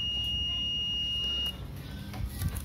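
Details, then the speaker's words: Laptop motherboard ceramic capacitor tested with multimeter continuity mode: steady high beep holds about 1.5 seconds then stops, meaning the capacitor is shorted and faulty. "kalau bunyi ya Berarti rusak Ya sini menunjukkan angka berapapun kalau kapasitor seperti ini bunyi maupun angkanya 500 apa berapa sih itunya tapi bunyi Berarti rusak"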